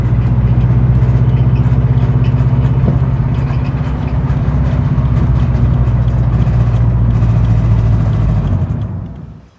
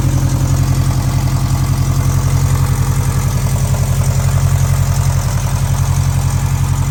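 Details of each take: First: 2013 Scion FR-S engine before rebuild, the engine that blew: deep steady rumble with fast, uneven tapping about four per second until shutdown; knocking, cause not stated. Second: 2013 Scion FR-S after the owner rebuilt its blown engine: smooth, even idle after first start with steady low rumble, no knocks or ticks; sounds much better than before, healthy.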